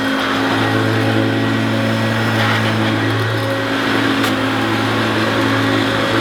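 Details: Oldish Hoover U2716 Turbopower Boost bagged upright vacuum: loud steady whir with constant hum and airy hiss, no surging or grinding; motor sounds sweet and relatively quiet, normal running.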